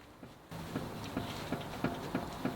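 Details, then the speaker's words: BMW M240i with a humming wheel that has grown louder; rocking the wheel left to right gives six sharp uneven clicks about a third of a second apart, showing free play at the hub; owner suspects a worn wheel bearing, unconfirmed. "so pretty much I think um to test the wheel bearing we shake it from left to right oh it is it's click"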